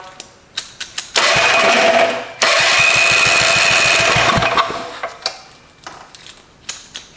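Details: Old barn-found Tecumseh four-stroke small engine after checking points and ignition and rewiring, run on full choke in a closed garage: catches and runs in short raspy stretches then dies back; no knocking, basically healthy.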